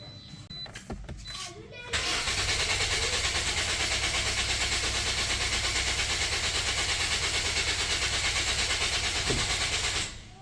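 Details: Toyota Corolla Grande 1.8 cranks but won't start: steady, fast starter churn about three beats a second, never catching. Fuel pump pressure tested OK on temporary wiring, but no current reaches the pump, so pump wiring is suspect.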